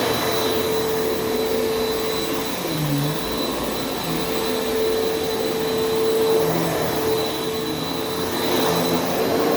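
Steady, even motor roar with a constant mid-pitched hum and no knocks or rattles; this vacuum is running normally.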